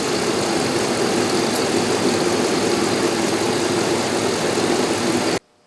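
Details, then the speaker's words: 2001 Dodge Ram 2500 V8 idling with a random misfire: a dense crackling hiss as secondary ignition spark arcs to ground constantly; plugs, plug wires, cap and rotor are to be replaced. "all right guys i don't think the picoscope's gonna be much help to us it keeps glitching out every time that the secondary ignition shorts to ground which is happening all the time"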